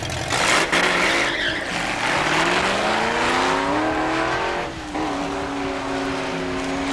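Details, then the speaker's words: 1973 Plymouth Duster 340 on a drag strip pass with ignition timing backed way down to improve hook and 60-foot time: high engine scream climbs steadily, then jumps as the rear tires break loose in a hard spin mid-track. "hard spin mid-track. You can really hear that I've got the timing backed way down on it. Just again, trying to see if I could get it to hook and get a better 60-foot time."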